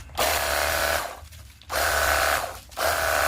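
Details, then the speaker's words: Battery jet cleaner pump after repair (before, it only hummed, motor got hot, would not spin or pump water): steady motor-pump whir in two even trigger bursts with a pause; now strong spray, quieter and smoother. "Siap dipergunakan untuk cuci motor ataupun mobil. dan suaranya lebih kalem ya, lebih halus."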